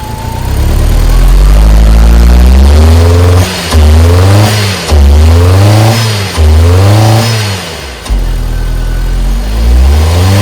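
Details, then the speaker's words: 1997 Nissan Sentra, ignition-related crank-no-start now fixed: engine catches into a lumpy, shaking idle with surging revs and dips; running rough, test drive still needed. "Alright, we got it running. There we go. Look at that shaking. It's shaking. It's very shaky, huh?"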